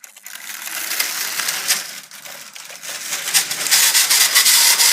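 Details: Bachmann HO scale model locomotive after some work: runs with a harsh, scratchy rasp and uneven ticking instead of a smooth hum; owner says it needs oiling.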